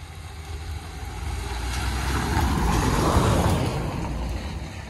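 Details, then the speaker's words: 2017 Mercedes Vito van after its whining gearbox was refurbished and refitted with the clutch, on a yard test drive: engine pulls up and eases off smoothly through the gears, no whine; gearbox and clutch feel brand new. "gearbox feels brand new clutch feels brand new which is what we want"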